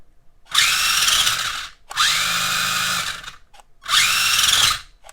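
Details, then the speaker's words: HBX Rampage 1/18 4WD brushed RC monster truck, reassembled: short bursts of high, even whirring, no grinding or binding; wheels now turn, fixed. "oh yeah it's fixed it's ready to rock uh once again"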